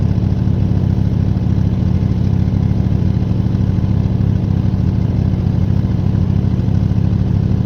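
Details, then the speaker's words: 1972 GMC pickup, worn 350 small-block V8, idling with oil ring seal additive that failed: steady, slightly uneven dull lumpy idle, no sharp knock; smoking heavily, worn rings burning oil. "I'd give it more time with the whole ring sale thing but frankly I mean let me ask for so much a bottle um that being said I am going to run it a little bit more it actually started smoking so bad I had neighbors looking at it like what the he"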